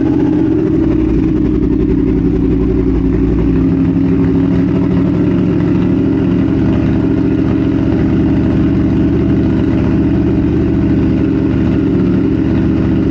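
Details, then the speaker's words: 2022 Triumph Speed Twin 1200 with British Customs X-pipe, newly fitted Cone Engineering shorty mufflers, custom tune, warming up: deep, loud, raspy twin burble at idle with throttle blips; barely baffled mufflers, almost too loud. "with the x-pipe that's almost too loud"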